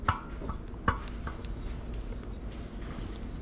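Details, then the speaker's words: Jasion EB7 2.0 e-bike rear wheel during spoke replacement: two sharp plucked pings at a clear high pitch; the tone shows the spoke is getting tight, normal tension. "right so it's starting to get tight and one thing you can tell with the spokes is you can hear the tone on"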